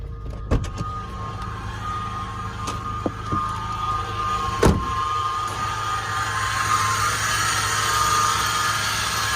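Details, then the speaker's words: 2007 Toyota FJ Cruiser, new sound noticed about three weeks after a cross-country road trip, heard at idle, then outside: a thin steady high-pitched whir above the engine note that never changes; source not yet diagnosed. "so it's kind of like a high-pitched um whirring sound so i'm gonna start the car and maybe you can hear it"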